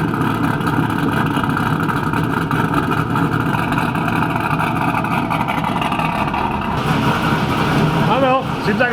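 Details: 2000 Pontiac Trans Am WS6 V8 with BTR Stage 4 cam, long-tube headers and Borla catback, started after replacing E3 spark plugs: strong, steady rumble with an even beat, no misfire, stumble or knock; normal running.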